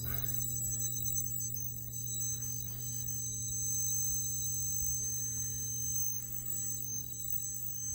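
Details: 4600 CRT monitor warming up, about two minutes after power-on: steady thin high-pitched whine and ringing over low hum from the rear near flyback; pitch changes when pressed, stops after about three minutes; cause not confirmed.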